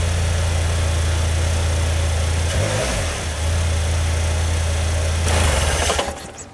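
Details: 2019 Polaris Slingshot after first break-in oil change at about 1000 km, refilled with 4 liters; old oil was dark with metallic sparkles: deep, steady low hum, one brief wobble, then even idle with no knocks; normal start and idle.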